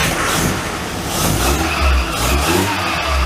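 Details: Classic Mini van first start during restoration, running on its old coil and HT leads after a new coil failed: the engine swells through a couple of clean, even, crisp revs with no misfire; normal revving, though the fan belt still needs adjusting.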